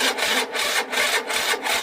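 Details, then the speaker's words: Peugeot Speedfight moped after a fuel filter change: electric start attempt gives rough scraping bursts, about two and a half a second, as the starter churns but never catches; the starter motor is worn out, though the bike starts with one kick. "No, that's the starter motor. That's knackered."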